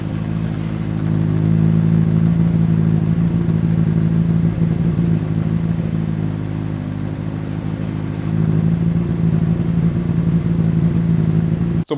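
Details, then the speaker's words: 2009 Honda CBR600RR with 19,000 miles, servo motor removed and a servo buddy fitted, which let the exhaust flap close: engine held high at a flat, strained pitch, unable to rev past about 12–13k rpm or reach redline. Restricted high-rpm revving from the stuck-closed exhaust valve. "that exhaust flap has now closed and it was basically suffocating the engine and the engine couldn't get to redline and i'm gonna show you what it sounds like"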